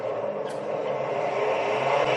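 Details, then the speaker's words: Newly installed Schaublin 102-80 lathe, first start: steady, even motor hum with no knocks or rubbing, run at 450 rpm and then 1800 rpm; smooth and not loud. "nice [Applause] she's actually not that loud back down to 450 lovely lovely good stuff so i'm really pleased about that"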